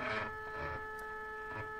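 Steady whirring tones around four hundred hertz to two kilohertz with soft pulses as it jogs; the cheap geared stepper runs noticeably noisy.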